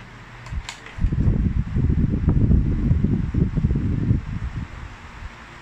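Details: Asahi wall fan (2012) after motor replacement repair gives a steady, low airflow rumble with no rubbing or grinding. The motor spins smoothly and stronger than before.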